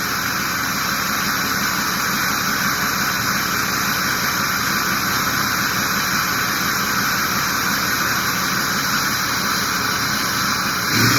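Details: Ford 6.0 diesel after new turbo, oil cooler, dummy plugs and EGR delete, previously stuck VGT at 0.84, warming up: steady loud roar with high even turbo whistle; spool sounds clean and healthy.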